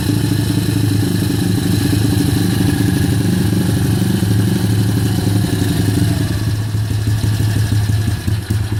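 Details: Kayo YX140E Klassic pit bike single-cylinder engine, throttle opened a bit more then held fixed: revs wander up and down with uneven stumbles and sneezing; hunting idle and misfiring, cause not yet found.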